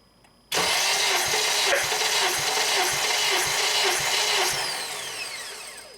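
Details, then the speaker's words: 2007 Honda Accord EX sedan, 2.4L K24, compression test on cylinder 2 with plugs out, injectors disabled and throttle wide open: fast, free whirring crank with light even pulses and no firing; about 175 psi. "Okay, I moved the compression tester over to number 2 cylinder. Okay, wide open throttle. Go ahead and crank"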